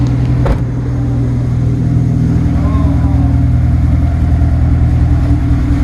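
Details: Engine at a Subaru dealership, just after an engine rebuild, idling: a steady, even low rumble with no knock, tick or misfire. Sounds healthy.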